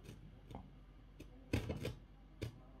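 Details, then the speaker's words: PreSonus Studio 68c audio interface, two years old: the left volume knob, turned from minimum to maximum, gives irregular scratchy crackles and pops in bursts, worst around halfway; dust in the potentiometer, which is cleaned with WD-40 Specialist contact cleaner. "it makes a sound a strange sound when screech-like sound when you move it from minimum to maximum"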